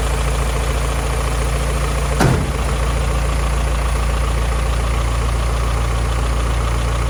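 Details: Rebuilt 1949 Willys Overland Jeep engine, first start after reinstall with valves and timing adjusted, steady even low idle with no knocks or misses; runs healthy.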